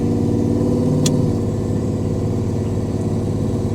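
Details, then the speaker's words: 1995 Camaro Z28 LT1 with head-cam combo, stock bottom end, Turbo 350 transmission and roughly 3,000 converter, under way after base tune: deep, even engine drone, no knocks or surging; smooth engine, though the rear end howls. "really smooth as far as the engine you know like Smooth power delivery so it's got a decent converter in it nothing crazy like a 3,000 maybe or something"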